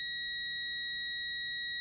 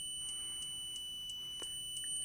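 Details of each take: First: Lidl Parkside DM300 C3 multimeter on continuity test: steady, unbroken high beep with no sampling clicks, stopping very quickly when the connection is removed. Normal, solid continuity response. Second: A low-cost multimeter (not the Parkside DM300 C3) on continuity test: a thin high tone broken by sharp clicks about three times a second as the meter samples, a chattering buzzer instead of a solid beep, which can mislead.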